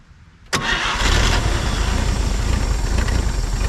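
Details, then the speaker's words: 1950 Chevrolet Styleline parked 7-9 years, fed from a hanging bottle fuel tank into the carb: quiet, then a sharp catch and the engine fires up, settling into a deep, steady rumble; clean start. Carb base O-ring looks bad. "see come on baby did you just hear it kick in that's awesome that's it girl"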